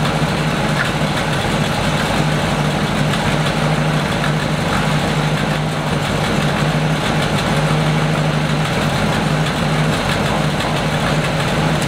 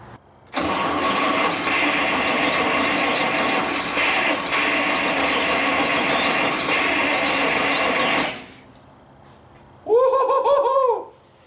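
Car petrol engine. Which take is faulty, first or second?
second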